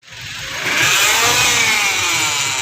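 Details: Hyundai Elantra petrol engine running: thin, buzzy metallic rattle on top from the timing chain.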